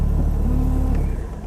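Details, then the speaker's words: 1982/83 Ford Escort Mk3 1.3L carburettor petrol just started from cold: idle sags and fades within a second or so; auto choke apparently switched off too early. "Oh, the auto choke has apparently stopped a little bit early there."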